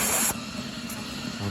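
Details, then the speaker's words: Home-made 18-ounce injector on a 5-inch gauge Manning Wardle steam locomotive, boiler near 80 psi: strong steady steam hiss dropping to quieter rush as it feeds, then starts cutting out as the boiler fills. Normal injector feeding. "you can hear it's feeding and you can hear the tone of the oh there we go it's about to cut out cuz the boiler is full of"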